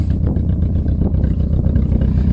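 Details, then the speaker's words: Four-cylinder car left standing on a yard: low, lumpy engine note with uneven pulses and stumbles, not all cylinders pulling together; misfire, owner says spark plugs are worn out while compression is fine. "naja fehlzündung ja dass ich mal lieber aus das spricht gleich ganz weg ist"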